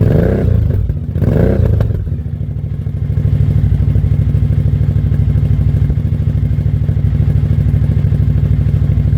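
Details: 2003 Suzuki V-Strom DL1000 that had not been getting fuel or starting, now running after a new fuel pressure regulator, a fuel pump recheck and a new relay: after a couple of revs it settles to a steady, low, even idle without stumbling.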